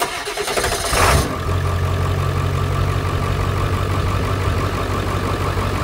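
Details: 2001 Ford F250 7.3 Powerstroke diesel started after an alternator replacement for battery issues: quick crank, catches within a second and settles to a steady, even diesel clatter at idle; starts and runs normally.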